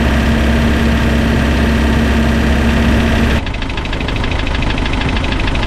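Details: Spryte snowcat "Rusty" turbodiesel, after fitting new OEM Zexel injectors with copper crush washers: steady, even idle with a smooth regular beat, no knocks or stumbles; idles much smoother, rock solid after coming off acceleration.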